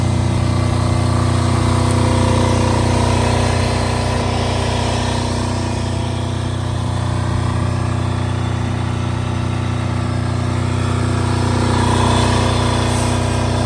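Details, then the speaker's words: Multi-power diesel generator (generator only, not a welder, about 5,500 watts), started about 5 or 6 times: steady, even drone with a constant low beat, no knocks or surging; normal running. "It seems to run really nice. I've had it running probably 5 or 6 different times."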